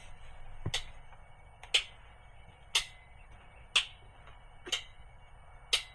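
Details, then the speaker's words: International DT466E diesel truck with a cold-start misfire, injector buzz test run after more than 24 hours sitting. Six sharp clicks, about one per second, as each injector answers in turn; all six are now heard, where only two were before. "Vamos a darle inyector test y vamos a ver si se escuchan los seis inyectores. Acuérdese, se va a escuchar un siglo duro y después individual cada uno."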